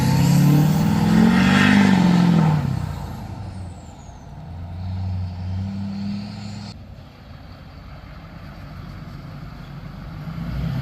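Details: 2005 Duramax LLY diesel after rebuilding the leaking factory fuel filter housing and bleeding it with the hand primer: heavy diesel clatter cranks up loud, then settles into a steady, even idle with no stumble or misfire.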